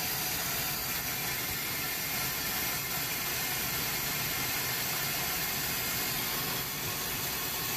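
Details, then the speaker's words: Hoshizaki ice machine, customer reported no ice and three repeating beeps. In fill mode after checking the pump-out valve, drain tube and sump, starting from an empty sump: steady hiss of running water with no mechanical rhythm as water drains quickly from the machine while filling. "and you can hear water draining already from the machine that's pretty fast all right considering the sump was totally empty that's pretty fast"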